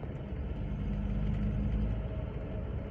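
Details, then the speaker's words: Volvo 240 B230F with LH2.2 ignition running after timing was reset to 12° BTDC from several degrees off: steady, even low rumble, no hesitation, stumble or ping even when provoked; normal running. "no real hesitation like stutter and stumbling and messing around no ping from what I can tell I've tried to get it to Ping but it won't so pretty happy with that"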